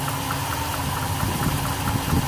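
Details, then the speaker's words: 1976 Ford 390 V8 idling after distributor replacement, timing needed no adjustment: steady, even low rumble with regular firing pulses, no misses or knocks; runs healthy. "you guys look at her run as it turns out i didn't have to make any adjustments the timing was set perfect before"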